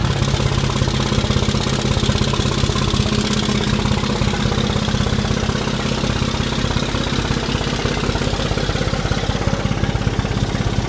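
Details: 5.9 Common Rail diesel at idle, nobody in the vehicle, with six bad injectors: heavy, lumpy knock, roughly three uneven pulses a second; rough idle from failed injectors.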